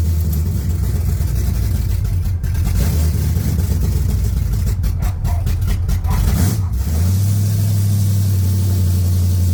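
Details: 1980 Pontiac Trans Am V8 after distributor install, head work and new TH400 build: deep even rumble swelling with a rev and returning to smooth steady idle, no ticking or misses; healthy.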